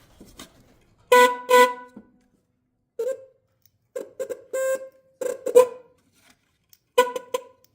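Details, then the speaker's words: 2011 C6 Corvette dual horn set bench-tested on a 12 V supply, hand over one horn: short blasts on one flat tone near 500 Hz, later ones thinner and weaker; one horn of the pair is dead, the lower-tone side. "Yeah, and you can hear the difference there. It doesn't sound like this one's honking at all. So let's get that thing in there a little better. Yep, so this side's not working."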